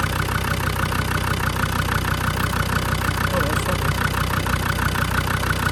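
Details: Land Rover TD5 diesel idling while the fan is refitted after a viscous fan bearing replacement: steady, even clatter at constant idle with no misses or knocks; idling smoothly.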